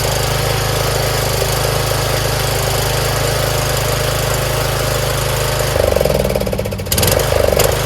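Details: Troy-Bilt Pony lawn tractor single-cylinder engine after valve adjustment, fixing locked motor and safety switch no-start, fresh SAE30 oil; charging 13.35 V. Steady even idle thump, then load as it moves off: normal idle.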